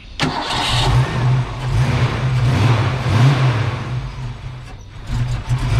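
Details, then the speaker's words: Ford Foxbody V8 with stock cam, deliberately misadjusted throttle screw and distributor timing before a base idle reset: it cranks, catches and idles with an uneven, lumpy pulse that rises and sags. "So we've got ourselves a screwed up Foxbody."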